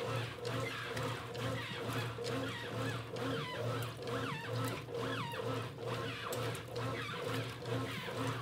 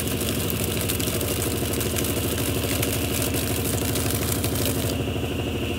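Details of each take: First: 1993 Brastemp rotary washing machine with rebuilt mechanism: rhythmic chirping squeal about once a second with each agitator stroke over a low motor hum; new shaft seal squeak, normal, will fade with time. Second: 1993 Brastemp Mondial rotativa washing machine running program 30 with clothes at low water level: steady whirring drone with rhythmic rub two or three times a second; owner says the noise is from the shaft seal (retentor), normal and will stop with time.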